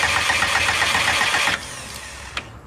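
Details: Subaru no-start: about a second and a half of quick, even cranking with no catch after a new value was burned in. Fuel pressure is present but dropping slightly; spark plugs are to be swapped next as the suspected fix.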